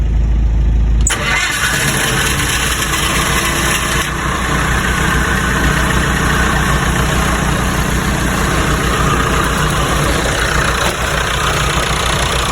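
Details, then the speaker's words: Lincoln welder engine, fully cold after sitting overnight: a brief crank, then it catches at once and settles into a steady, even idle with regular firing pulses; normal cold start and idle. "On a cold engine. Gonna give it a shot before we head out. This is brand cold. Sitting home overnight. Cold engine."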